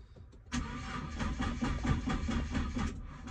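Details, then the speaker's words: Nissan GT-R R35 with code P1220 (fuel pump module), tester light on the fuel pump cables showing no power: starter spins the engine in even pulses for about three seconds and never catches; crank no start, probably from a blown fuel pump fuse. "Okay, if you don't see any power from here, it's probably because you have the fuse blow or the fuse broken."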